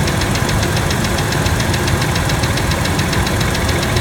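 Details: Ticking at idle on a 1997 Ford F-150 V6: fast, evenly spaced sharp ticks over a steady idle, louder by stethoscope on the middle cylinder's rocker arm bolts, both valves; valvetrain ticking.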